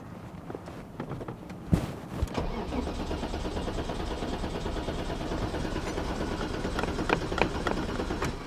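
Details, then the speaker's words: 1989 BMW 535i E34 with M30B35 six, long-stored, on a borrowed battery, fuel gauge reading empty: the starter churns the engine over steadily for several seconds but it never catches; crank no start. "all right crank no start as we suspected now we're going to jump into the troubleshooting so always keep it simple"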